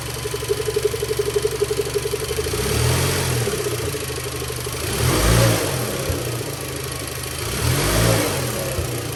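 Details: VW 1.8T with newly installed Solo Werks S1 coilovers: engine blips up and drops back with dull thunks, pops and squeaks when stabbing or lifting off the throttle; worn transmission mount letting the engine rock, mount later replaced.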